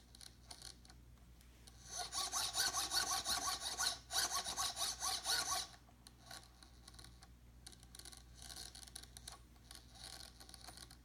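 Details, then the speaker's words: RC helicopter tail servo, post-crash inspection: a gritty, pulsing grind when the servo is turned slowly by hand, none when turned fast. The servo still works; worn gears are suspected, not confirmed. Servo grinding at slow rotation. "this tail servo is working properly but when I turn it slowly it is making a grinding noise it will not make a grinding noise when I when I turn it fast but when I turn it slowly you can hear it"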